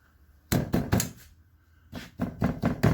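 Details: 12-year-old 2012 Chevy Cruze exhaust, tapped underneath: three hollow knocks, a pause, then four more; loose rear exhaust heat shield and worn, very loose rear muffler hanger letting the muffler move and thump.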